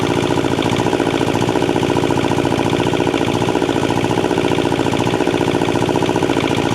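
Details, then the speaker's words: Thermo King TriPac APU's Yanmar 570cc liquid-cooled inline-two diesel, unknown time since last run, started briefly with no coolant: loud steady clatter, even pulsing beat, no misses or knocks; engine judged in pretty good health. "overall I'd have to say this engine is in pretty good health"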